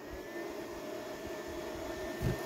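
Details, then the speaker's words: Xantrex Freedom HFS2055 inverter/charger after repair of its charging circuit, on shore power charging the battery at 26 amps: the relay clicks, then the cooling fans ramp up with a steady whoosh and even whine. Normal operation. "heard the fans ramp up in the unit."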